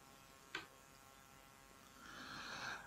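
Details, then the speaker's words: Samsung laptop power adapter, opened, loaded by connecting the laptop: a click, then a faint, high hissing whine (coil whine); source being located, owner suspects a winding or capacitor. "ну сейчас дал нагрузку подключил ноутбук он стал сильно шипеть и сейчас мы посмотрим откуда именно идет шум"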